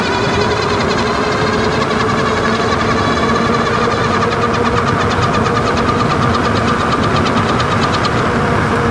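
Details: Wallke H7 AWD e-bike, 48V 40Ah battery, 750W front geared hub motor, microphone placed low near the front wheel at full throttle and high speed: loud steady whir with fast pulsing flutter.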